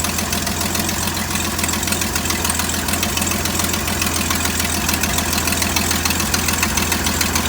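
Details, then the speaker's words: 1972 GMC tow truck, first start after sitting in the woods since 2003, warm idle with no blow-by: a light, quick tick about three a second; sounds like a small exhaust leak, not confirmed. "That little exhaust leak, it sounds like. It does, yeah. Unreal. Boy, that sounds beautiful. That's a sweet little motor."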